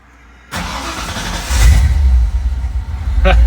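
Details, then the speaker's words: 1966 Mustang, first start after installing a Spectra EFI fuel tank with in-tank pump: short crank, then it catches and settles into a steady low rumble with no stumbling; starts on the first try; normal start. "nothing like getting this done on the first try not that this was super technical"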